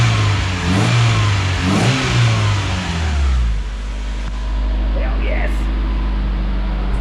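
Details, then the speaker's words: Freshly built budget race engine, top end rebuilt, in car, with fresh fuel, cooling system still being bled of air: crisp throttle blips settle to a steady, even idle, no ticking or knocking; healthy revving. "it's all the little nooks and crannies I wanna make sure all the air gets out of there but rums sounds good too"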